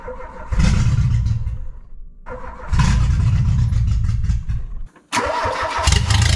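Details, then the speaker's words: 1986 Renault Espace prepared carbureted engine; starter cranks in repeated bursts, about four turns a second, with pauses, never catching; owner suspects ignition timing is off, unconfirmed. "ce que je vais faire c'est juste essayer de la faire péter pour voir si l'allumage est bien calé parce que c'est peut-être mon allumage qui est déréglé"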